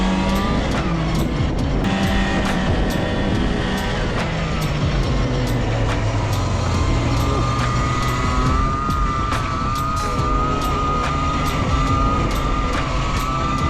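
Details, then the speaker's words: Arctic Cat Jag 440 two-stroke snowmobile (1982, owner thinks), revived after years sitting with fresh 50:1 fuel and cleaned spark plugs, riding through snow: buzzy note holding high revs, pulling cleanly without stumbling; normal running. "well this thing absolutely rips I'm glad it wasn't a bigger issue it's pretty simple just needed some fuel and to clean up the spark plugs a bit"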